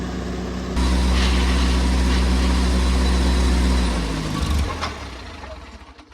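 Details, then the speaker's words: Oliver Cletrac OC3 crawler, hard to start, now with good oil pressure: it catches and runs with a steady low thrum, then bogs and dies, as it does whenever load is applied. A compression test is next; stalling under load. "All right, well, it takes a little bit to get it started, but then it does idle fine. Then as soon as you put any load, it dies. So I think our next step is a compression test."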